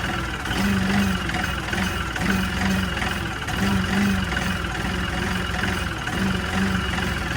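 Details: LS MT3 35 common-rail diesel tractor with the fuel pressure regulator (suction control valve) unplugged: idle swells and sags about every 1.5 seconds; a scan tool shows very high rail pressure; surging idle.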